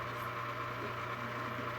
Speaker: and then if you keep running it like this it's going to get worse and worse and worse and worse until eventually it's going to lock up on you